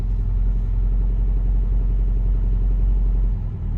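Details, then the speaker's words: 1988 Lotus Esprit Turbo cold from start, on choke with throttle jack engaged: a deep, steady raised idle, smooth with no stumbles; revs expected to drop once warmer; normal cold fast idle. "Well, it's on I think the, whatever you call it, the throttle jack is engaged at the moment, but the revs will drop down when it's a bit warmer. But you can see that it's idling really smoothly."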